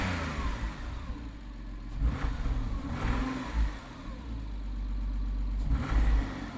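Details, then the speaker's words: Neglected 1998 Porsche Boxster 986 just started after standing, old fuel: engine surges and stumbles unevenly through throttle blips, heavy oily exhaust smoke; owner suspects worn piston rings; rough running. "the piston rings are completely gone it's running really rough as well"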